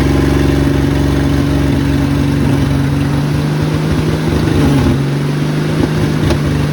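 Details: 1972 Ford F100 Custom straight-six, previously seized and neglected, run without its front exhaust pipe, fed from a gas bottle with the carb leaking badly: loud, raw, steady idle with an even low drone and no stumble; normal running without exhaust.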